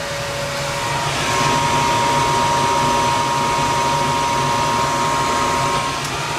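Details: Gas furnace above a carport, after a no-heat call, running after a worn hot surface igniter was replaced: smooth steady blower rush with a constant mid hum, no clicks or roughness; firing and running normally.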